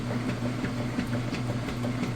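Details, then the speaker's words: Kenmore direct drive top-load washer during agitation, loaded; steady low motor hum with even back-and-forth swishing strokes, normal operation. "that's the agitation"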